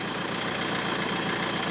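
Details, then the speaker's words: BMW E90 320d diesel after fitting a new turbo, cold start, air filter off; steady idle diesel clatter with a faint high whistle, no irregular knocks, smokes at first. Sounds cleaner, healthy idle. "It's cold start, so. It just sounds like I don't know. It sounds like someone screaming. Listen. Sounds a lot cleaner, doesn't it?"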